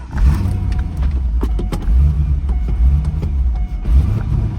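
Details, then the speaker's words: Auction-yard manual-transmission V8 at about 90°F, just started in neutral with clutch in: lumpy, surging, uneven low rumble, runs badly; possibly partly unmetered air because the intake is unhooked, not confirmed. "oh she runs guys not very good not very good at all maybe part of that is cuz that intake is unhooked it's like getting un unmetered air in there"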